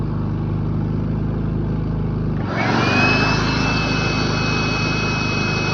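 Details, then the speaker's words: Predator 3500 inverter generator after oil, plug and air filter service, as a load (about 5.5 amps) is plugged in: runs smoothly, then speeds up to a steady higher drone with faint whine; voltage stays steady; normal running under load. "You can see that it's very steady voltage when you add a load to it."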